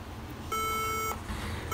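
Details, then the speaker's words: HP ProBook 450 G3 laptop powering on with black screen, no display: two long and two short beeps, caps-lock LED blinking the same pattern; fix requires removing the motherboard. "can here too long beeps and too short bits caps-lock LED also too long blink and too short minute"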